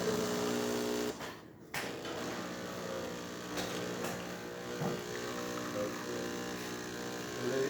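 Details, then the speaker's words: Jura Z6 espresso machine after grinder repair, spout retest; steady even pump hum with one short dip, no straining, steady stream of good colour filling about 3 oz cup: normal dispensing. "there you go nice steady string coming out from the spouts really good color as well and that's approximately 3 oz or it might actually overflow the cup"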